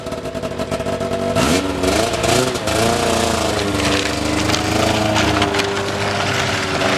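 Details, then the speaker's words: Arctic Cat ZL600 EFI two-stroke snowmobile after fitting new NGK plugs: tries to rev but pitch sags and wanders on throttle; still bogging, running rich; dry-rotted intake boots found afterwards. "all right so back to the drawing board i don't know if you heard that but yeah you hear it now definitely a hard no on that yeah bog city"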